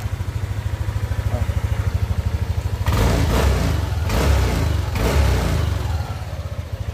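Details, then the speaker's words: Yamaha Aerox V1 scooter after an engine pull-down repair to cure a rattle (kalansing). Even single-cylinder putter at idle, then clean rev blips with no rattle or knock; the rattle is gone. "Okay, so ito na, okay na, wala na yung kalansing."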